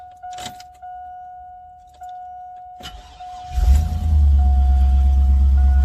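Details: 2001 Chevrolet Silverado 2500 that would not start, after reconnecting an unplugged connector under the truck: door chimes, short crank, engine catches at once and settles into a smooth even idle; normal start and idle.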